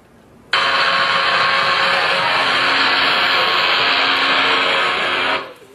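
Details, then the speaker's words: Known bad rolling bearing heard through an ultrasound detector: steady bassy tonal hum, a ball hitting a pit 1700 times a minute, too fast to hear separate impacts. "hear the tonal sound in that bearing bassy sound certainly doesn't sound like air escaping okay what that bassy sound is is that ball coming around hitting that pit it's doing it at 1700 times a minute so you can't hear between them that's why it sounds like a hum okay"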